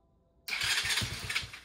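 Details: Chinese 125cc ATV after top-end rebuild (new piston rings and gasket set, 52.4mm bore), re-using old fuel lines that leaked at the tank: short crank, then the single catches and fires in a quick steady burst, starting and running briefly; normal start.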